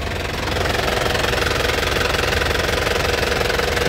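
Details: 2008 Isuzu Panther LS Turbo diesel: steady idle with even clatter about four beats a second, no misses or surging, clean exhaust; normal healthy diesel idle.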